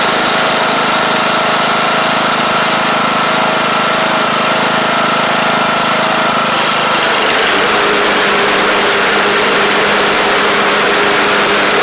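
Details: Craftsman LT1000 Briggs Intek engine at an even idle that settles to a lower, steady note partway through, with no knocking or surging; it runs good and shifts great. A double-stack pulley is suspected bent.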